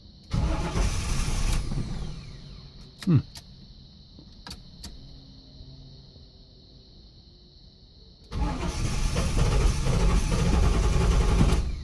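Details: 1983 Buick LeSabre wagon with swapped LT1, first start without serpentine belt: engine catches, runs roughly a second and a half, then cuts out dead. Owner first suspected too little fuel; a faulty anti-theft bypass module caused the stall.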